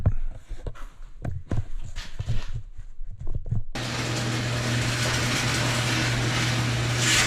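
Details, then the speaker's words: 1974 International pickup, first start after exhaust rerouted for differential clearance: a few clicks, then catches into a steady, deep, loud idle; sounds better than before. "well doesn't sound horrible better than it was"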